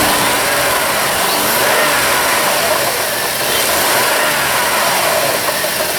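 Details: 2003 Jeep Liberty 3.7 L running, overheating with suspected faulty water pump and no coolant flow; coolant filled, flow seen at the bypass hose: engine runs steadily and picks up revs smoothly under a rushing hiss, no knocks, squeals or stumbling.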